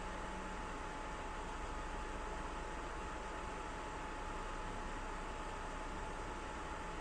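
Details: PS4 Pro after replacing its thermal paste with a Honeywell PTM7950 phase-change pad: soft steady airflow hiss and faint even hum, fan starting to speed up slightly but still very quiet; normal quiet cooling fan.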